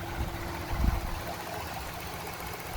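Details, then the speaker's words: 1996 Toyota Corolla GLi at idle after new power steering, aircon, alternator and adjusted timing belts: steady even idle with smooth low hum, no belt squeal or chirp; settled and healthy. "Yan, lahat yan bago na. Okay? So power steering belt, aircon belt, tsaka alternator belt."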